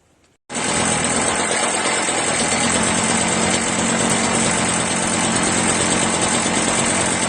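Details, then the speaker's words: Echo PB-403T backpack leaf blower found in trash: fires up and holds a steady, busy buzz with no stalls; owner thinks it needs a new carburetor and doubts it would restart. "well now all I need is a new carburetor right I don't think it would start again though"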